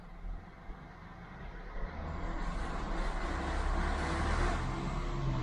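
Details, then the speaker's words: Honda Odyssey family van with knocking noise: low engine rumble rising with revs, knock fading out around 2500 rpm; owner suspects worn timing belt tensioner, replacing with an AISIN BTH-001. "noise goes away around 2500 rpm so I think it was a if it was an engine noise knocking noise it would keep doing it I think it is timing belt tensioner"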